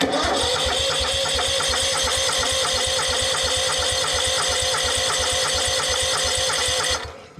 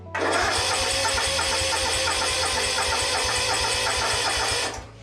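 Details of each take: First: Exmark Yazoo Kees ZT Max 42" zero turn with a Kawasaki engine, new starter, on a jumper battery, cranking to purge air from the fuel system: brisk, even cranking for about seven seconds without firing. Starter healthy; owner suspects a tired fuel pump. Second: Yazoo/Kees ZT Max 42" zero-turn with Kawasaki engine, jumper cables attached, fuel pump swapped for another used one: even starter chugging, about four seconds of steady turnover, stops without firing; cranks but won't start, suspected fuel delivery, not confirmed.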